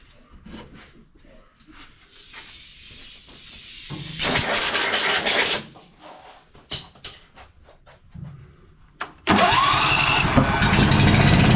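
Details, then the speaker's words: John Deere Z335E zero-turn mower that may not have run this year, started with starting fluid and with a dirty air filter and mouse-damaged wiring: several sputtering cranks and coughs, then it runs rough and uneven. "Definitely sounds like we have more issues than just the wiring harness."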